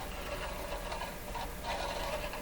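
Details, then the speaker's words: 1925 Magnavox Type D TRF battery radio, volume control turned: light scratchy rasping comes and goes as the slider drags over the wire-wound rheostat resistance wire; normal wire rheostat scraping. "you see the volume control here if you listen you can tell that's a wire rheostat and the slider sliding over the wires"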